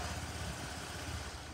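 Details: Honda Lead scooter after an accident, starting system repaired; steady low putter with an even beat and no knocks or rattles, normal idle.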